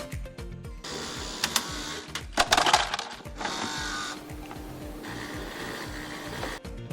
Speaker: one cause could be the automatic release of ice and the supply of Water by the ice maker Additionally the ice maker motor might produce a humming sound during the ice making process